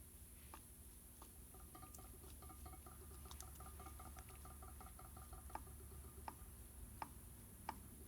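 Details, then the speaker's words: Mercedes 190SL steering box on the bench: faint, sharp metal clicks about every 0.7 seconds as the shaft rocks back and forth in worn bushings, which are due for replacement. "you can move it back and forth and you can hear it clicking back and forth can you hear that"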